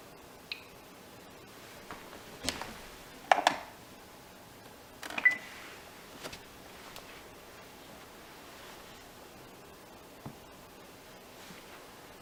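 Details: Roomba 880, fully charged and docked after a reset: a quiet room with a few sharp, irregular clicks, the first about 15 minutes after the reset.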